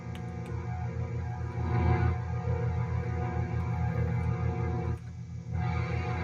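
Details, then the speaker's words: Korg Trident synthesizer bought as "working but needing work", found with its power supply detached and AC wires cut, first power-up: a steady, gently pulsing chord-like drone that never stops. Strings are stuck on, a keying issue possibly power-supply related. "Okay. So, we got strings on, but they're just all on. So, that's a keying issue."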